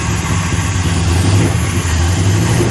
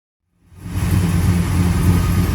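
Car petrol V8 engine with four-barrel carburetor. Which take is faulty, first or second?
first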